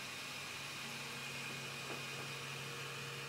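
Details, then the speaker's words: Voxelab Aquila 3D printer before homing: steady airy whoosh from a loud cooling fan over a faint constant hum, stepper drivers quieter, no grinding or rattles; normal. "fan is quite loud but the stepper motor drivers seem to be the quieter ones"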